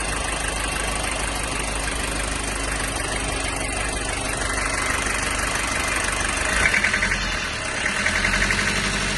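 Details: 1995 Toyota Hiace 1KZ-TE diesel with white smoke, idling with a loose uneven knock over the clatter, about three or four a second. Owner asks whether timing, fuel or valves are at fault; cause unclear.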